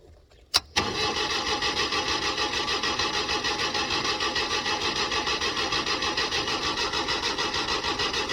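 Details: LPG-fuelled car on a cold morning: steady, even cranking at about three turns a second that never catches; the starter is strong, so the likely cause is an over-rich LPG mixture, too much gas.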